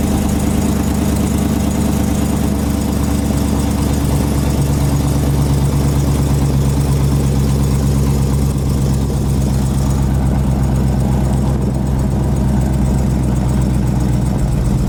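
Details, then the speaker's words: Cold-start idle of a lowered Hemi V8 Mopar: quick light ticking over an uneven rumble that fades once warm; owner believes it is an exhaust leak rather than Hemi tick, not confirmed by shop. "you could hear the tick pretty clearly and then eventually doesn't take too long once it gets warm enough that it goes away so that right there is an exhaust leak nothing to worry about"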